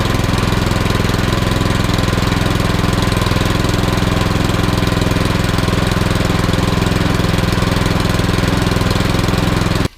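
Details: Troy-Bilt Storm 2410 snowblower after surging/rough-running repair, next-day cold start: steady even single-cylinder chug about three beats a second, no misses or surging; normal cold idle.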